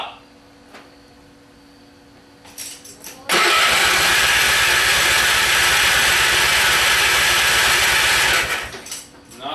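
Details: Simplicity small engine with hard starting, cause unknown: quiet, then about five seconds of steady cranking that cuts off without the engine catching.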